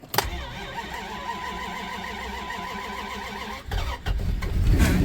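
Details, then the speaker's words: 1999 Dodge Durango SLT sitting since 2009, after HVAC box work and cluster reinstall: quiet hum, short crank catches straight away and settles into even idle; normal cranking and start, charging and oil pressure showing. "oh she's alive oh the horn just knocked all the snow down charging oil pressure huh interesting well everything turns on anyway we'll start with that being good"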